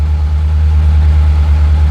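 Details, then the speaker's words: 1984 Ford Bronco II with LS V8 swap, EFI in cold-start warm-up mode: deep, steady, smooth idle held just over 1100 rpm with no knocks, normal fast idle. Starts instantly, and a warm idle is said to settle at 875–900 rpm. "see the uh how the EFI system here so right now it's in warmup mode so it's just over 1100 [Music]"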